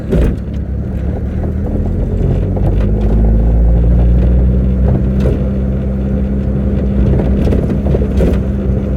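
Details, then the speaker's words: 40-year-old Ford Capri turbo back on the road after 15 months off: while driving, an irregular metallic clanging like a bag of nails from the rear over the engine drone; cause unknown. "it sounds like a bag of nails. So it's clanging at the back. I don't even know what that is."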